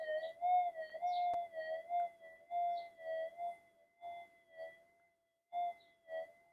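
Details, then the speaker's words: Pulse-induction metal detector on redesigned GPX-5000 upgrade boards, bench demo at about a third gain through the speaker, coil swung over a target: clean steady warbling target tones with no hiss or crackle; circuitry balanced, no noise. "But the thing is there's no noise. Now, normally when you start getting that the circuitry unbalances and you start getting noise through your detector."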